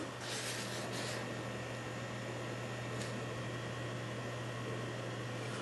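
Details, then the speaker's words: Rosewill RSV-S5 external RAID enclosure after replacing noisy original fan: low steady hum, faint even whir, no rattle or ticking; new fan far quieter, barely audible. "it works now all I've got to do is put it together and I can tell you right now this is a lot quieter than the other one"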